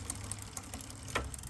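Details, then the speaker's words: Lectric XP e-bike with motor running in gear during rear derailleur adjustment after tightening the cable: light sharp clicks three or four a second over a steady motor hum; chain clicking against the neighbouring cog from misadjusted rear derailleur. "so it's more motor noise than uh anything else you can hear it clicking up against the gear"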